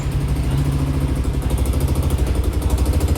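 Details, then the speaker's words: Yamaha Aerox 62 mm scooter after bottom-end rebuild with new crankshaft, idling: sharp puffing tick on every firing, steady and low; exhaust header leaking. "เนี่ยครับคอท่อมันรั่วนะประมาณนี้ครับ"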